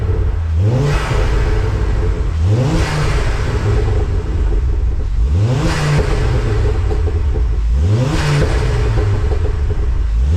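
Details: Ford Focus Mk2 ST, warmed up, just after fitting Airtec oil breather kit and catch tank: four clean blips from idle rising and settling evenly, no knocks or misses; normal revving, no leaks or smoke.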